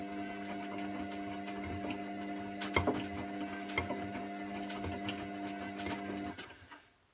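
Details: Washing machine during wash and spin: steady motor hum with irregular sharp clicks, a few per second, stopping as the motor winds down; clicking noise, cause unknown.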